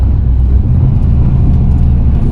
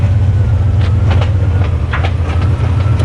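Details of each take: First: Fox-body Mustang turbo GT40 build with replacement used Marketplace T5 manual transmission, first drive, clutch let out easy, light throttle: low road rumble with no gear whine, much quieter than the previous whining T5; normal transmission operation. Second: Fox-body Mustang with budget turbo 302 GT40 build, about 500 hp, broken T5 manual transmission: loud uneven metallic clatter like a box of bolts over low drone while driving; owner guesses broken input, third gear and countershaft teeth; quiet with clutch pedal pressed.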